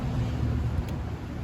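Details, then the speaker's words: 1983 Honda Shadow VT750C fan starts and then stops, a low hum that drops away and fades; the fan was cutting out on a dirty switch connection and ran once the connection was cleaned. "so you turn it on it starts and then it stops it's interesting so the fan is connected to a switch there it is okay it must have just been dirty the connection was dirty that's fine"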